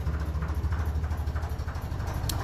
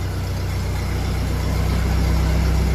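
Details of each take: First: 1957 Ferguson 35 on TVO: dull regular knock on each firing pulse at slow, lumpy low idle; wet compression test showed rings and bores good; owner suspects worn small ends (connecting rod to piston) from years of running on TVO cold. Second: Steady, even low thrum with a smooth beat about four times a second, no misses or knocks; 1957 Ferguson 35 TVO tractor idling cleanly after its old Lucas key ignition, which overheated and starved the coil, was replaced.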